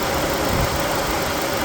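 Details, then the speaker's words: 2005 Chevy Cobalt after cooling fan assembly replacement: steady even idle, much quieter, no wobble or rhythmic vibration; the noise had been from the old fan's worn-out plastic. "that's a lot quieter so it's cuz that plastic was worn out"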